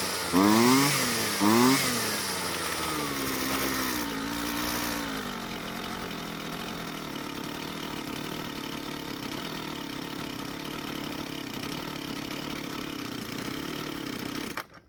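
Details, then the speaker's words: Jonsered two-stroke string trimmer after swapping stale fuel for fresh mix: runs much better but once warm blips twice, then settles into an uneven, wandering idle that sags and hunts; poor warm idle, mixture needs adjusting. "after replacing the old fuel with some fresh fuel it was running a whole lot better but when it got warm it still didn't want to idle so we'll have to make some changes to take care of that"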